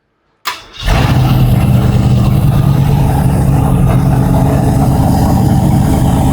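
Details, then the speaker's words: Old-school V8, idle raised, listened to through a cardboard and hose stethoscope: loud raised idle with a steady tapping about four per second. No oil coming out at number 4 lifter, the one that failed last time. "No fucking oil. Shut it off. I don't think we wiped the cam. There's no oil coming out of number 4, which is the one that blew last time."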